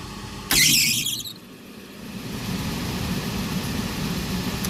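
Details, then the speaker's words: Trane rooftop unit overheating a store, suspect heat exchanger, gas at about 7 inches water column on manometer: sudden loud whoomp at light-off then rumbling burn; violent burner ignition, gas pressure later found not the cause. "was terrifying we're still sent out about seven inches of water column shut this off turn our gas back off real quick"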